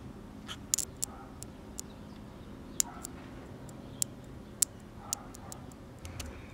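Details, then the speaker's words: 1970 Sony Trinitron KV1210 colour TV plugged in: sharp, irregular snapping crackles over near silence, sparking on power-up. Owner first suspects a dried-out start capacitor; the arcing comes from a shorted low-voltage rectifier diode. "so when i plug this in i hear sparking"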